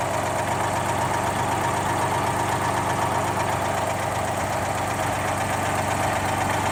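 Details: GMC New Look "Fishbowl" transit bus with GMC V6 diesel, first start in about a year and a half after hours of prep, at a museum: even, steady diesel chug at idle, regular beat, no misses or knocks; normal idle.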